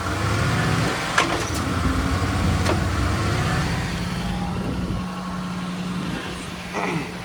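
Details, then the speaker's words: OBS Ford F-150 pickup at high idle (also happens at low idle with idle air control valve unplugged): sharp single clunks from the rear end when dropping into reverse and drive, also at highway speeds; source not yet pinned down; rear-tank fuel pump also failed. "It'll plunk into gear, going into reverse and drive, and then as far as the freeway speeds or highway or whatever, it still does it."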